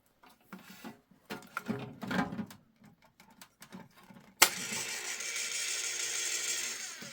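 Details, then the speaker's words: Spare electric can opener running with its housing fully open and no lubricant on the gears. After handling clatter, a steady, even whir with no grinding or labouring and no burning smell: it runs normally. "yeah this one feels a lot better yeah I don't smell anything it's not close to burning out"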